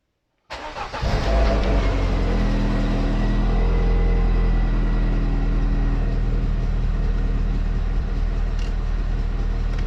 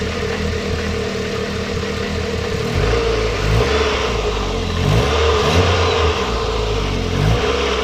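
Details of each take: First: MGF 1.8 K-Series engine before repair: starts and idles with even rapid low chuffing about four per second from a severely leaking exhaust manifold gasket itself, not a pipe joint. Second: MGF 1.8 K-series engine after replacing the leaking exhaust manifold gasket with a multi-layer steel gasket: steady running rising through a few revs, smooth and even, exhaust puffing gone; sounds healthy.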